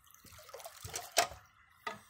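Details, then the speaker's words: Ram pump with a 1 1/4 in brass check valve: running water with sharp clacks about every half second as the valve snaps shut; it runs 24/7 and is cycling normally. "that check valve it's the sound of progress me personally I'm not one that likes repetitive clicks and bangs but when I hear this it just makes me feel all warm and fuzzy inside because it's something doing it it's working 24 hours a day seven days a week"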